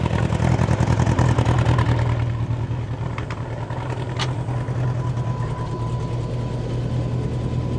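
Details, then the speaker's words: Bombardier Bombi with Holley Sniper 1100 fuel injection, after exhaust manifold crack fix, still in open loop, throttle raised slightly above idle: engine pulses unevenly about three beats a second instead of smoothing. Rough loping; cause unconfirmed, owner considering replacing coil; engine later stalls. "So it's still kind of loping a little bit. see how that evens out here."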